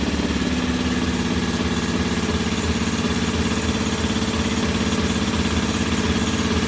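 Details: Norton P11 vintage British twin, first kick-start after carburettor disassembly and draining old gasoline for fresh: lumpy idle near 170 beats a minute with uneven pulses; one pilot jet doesn't follow adjustment like the other side's and will be cleaned again.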